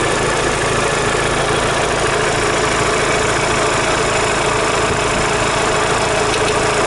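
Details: Daewoo Lanos 1.6 16V at idle after a head gasket replacement and head resurfacing: fast faint knocking, about three to four a second; appeared after driving home; owner suspects the mechanic's work or a failed roller.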